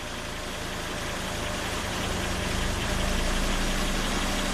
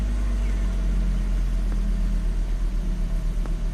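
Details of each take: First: 2005 Volvo XC90 Turbo, 80k miles, at idle: engine runs evenly about eight seconds as fuel pressure falls from 58 to 13 PSI and pump current drops from 10 to 4 amps, then dies leaving dash chimes; stall from fuel pressure loss. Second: 2005 Volvo XC90 Turbo, 80k miles, idling after restart with fuel pressure 65 PSI and pump duty cycle about 30%: steady even low rumble, no misses or hunting; normal idle before later stall.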